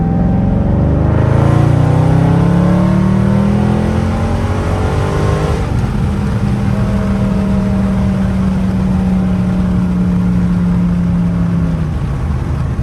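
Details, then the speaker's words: Dodge Charger Scat Pack Widebody after fixing an active exhaust valve squeak, driving in manual mode: deep engine note climbs smoothly through two hard pulls with no squeak or chirp; exhaust valve operating quietly, problem fixed. "But yeah, man, so that definitely fixed the problem. No more squeaking."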